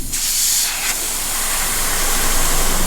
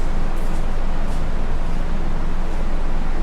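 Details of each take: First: Dodge Viper ACR swapped to a turbo Hurricane inline-6 with 8-speed, intake pressure-tested: steady hard hiss of escaping air. The system holds pressure; the leak is only at the blow-off valve. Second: Dodge Viper ACR swapped to Hurricane turbo inline-six with 8-speed, direct injection, no exhaust fitted, started via paper clips; cranks then catches into a loud steady idle with no knocks, clean first start, oil pressure still being checked.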